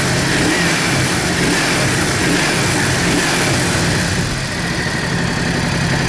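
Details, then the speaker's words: Yamaha Drag Star 650 V-twin after new intake boots, TPS adjustment and vacuum-gauge carburetor synchronization: runs and revs smoothly with an even, steady beat, no stumble or hesitation, accelerates much better than before; normal idle and revving. "the truth is that as you have seen it sounds much better than before, it accelerates a lot better than before"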